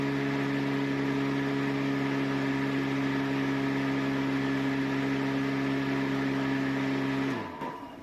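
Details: 250 W, 24 V electric mower on a replacement lithium battery (40 A BMS) drawing under 6 amps; steady even hum with a clean tone under the blade whoosh, then smooth spin-down when switched off; normal running.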